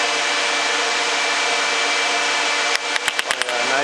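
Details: Dodge Dakota electric radiator cooling fan at full speed after tightening a faulty ground connection: steady even rushing whoosh, no rattles, then handling clicks; fan working normally.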